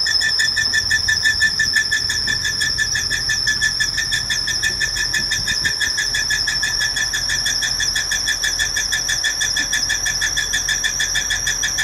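A high, piercing squeal pulses about three times a second over a faint engine, an abnormal squeal of unknown cause.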